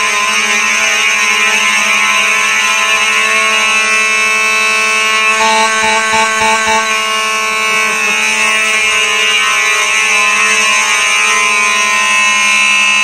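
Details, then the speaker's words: Simplex 4004 panel set to continuous, Simplex horns sounding: loud, steady, piercing tone without a break over a rapid pulsing buzz; normal continuous horn sounding. "god that was loud this is why i don't really care for the continuous too much"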